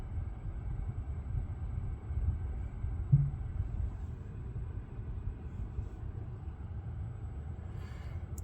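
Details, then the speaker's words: Lucid electric car driving after a logo reset cleared a buzzing noise that switching profiles and a first reset had not fixed. Only soft, low road rumble with no buzz or whine; normal, cause of the buzz unknown. "So far so good. Yep, the noise went away. I have no idea why it came."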